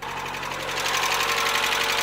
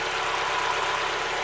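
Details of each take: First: Mazda Miata idling before Seafoam treatment: fast, light, even ticking over a steady idle. The lifter tick has returned and is getting louder; owner hopes Seafoam cleans it out. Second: Mazda Miata, about 150,000 miles, idling warm right after Seafoam treatment: light, even idle with no tapping. Lifter tick pretty much gone, though a cold start is still to be checked.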